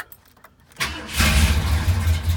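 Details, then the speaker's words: 1968 Ford Galaxie 500 convertible cold start without pumping the gas: short crank, catches at once and settles into a steady, deep, even idle; healthy cold start. "Wow I didn't even pump the gas"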